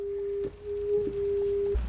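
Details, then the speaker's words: Frisk 7 portable scratch turntable (plastic platter, strong motor): steady ~400 Hz pure-tone howl from the built-in speakers underneath, briefly breaking off when the unit is held, acoustic feedback that stops when held; amplifier issues also noted. "see so when I hold this see how the feedback goes away so I'm going to have to figure out a way to get this to not feed back like"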